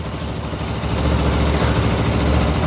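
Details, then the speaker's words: 2000 Suzuki GS500E motorcycle, recommissioned, electric start, cold on choke: steady low, even idle at slightly raised speed with no knocks or misses; healthy normal cold idle. "That sounds nice. So you're using the choke there. It's analogue, old fashioned."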